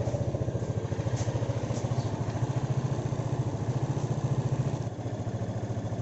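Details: Honda PCX 150 scooter after its dead-battery no-start was fixed: a low, even putter at about three and a half beats a second, settled and regular, a healthy normal idle.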